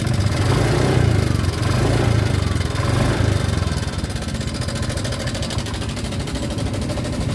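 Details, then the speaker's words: Honda Vario 125 scooter at idle, rough noise began suddenly two days ago; rough, fast metallic rattle over the idle: cam chain rattle from slack chain. "nah kasus ini sebenarnya sudah cukup sering ya biasanya terjadi pada setelan rantai keteng yang di dalam sana atau memang rantai ketengnya sudah gedor"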